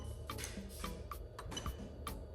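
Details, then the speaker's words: Toyota Chaser GX100 with a swapped 1JZ-GTE VVT-i on a new plug-and-play harness, ECU-controlled fuel pump test: sharp light relay clicks about four a second; the fuel pump relay and pump work as expected. "There you go, so you can hear the relay clicking."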